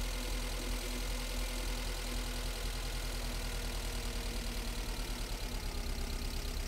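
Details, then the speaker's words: Toyota MR2 idling while Seafoam is slowly drawn through a vacuum hose: idle turns lumpy and pulses unevenly, nearly stalls, then revs come back up when the hose is held; rough idle from cleaner in the intake. "then it sounds like it wants to die. And then I hold it, and then the revs come back up."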